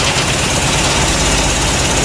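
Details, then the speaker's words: Triumph TR3 after swapping to a Lucas DM2 40735A distributor with new cap, rotor, points and condenser: starts fine but idles lumpy and uneven with an irregular low pulse; rough idle, timing to be checked next. "Okay, started up fine, but I don't know if you can hear, but the engine sounds a little"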